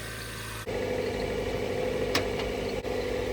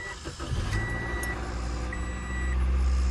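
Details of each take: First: Nissan 300ZX started after a weak battery reading about 10 volts was trickle-charged with a booster box: smooth, steady hum held well above normal idle with no dip or hunt; high idle. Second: Nissan 300ZX started after a low battery reading about 10 V was put on a booster box and trickle charge: brief crank, then it catches and settles into a steady but very high idle with a faint beeping over it.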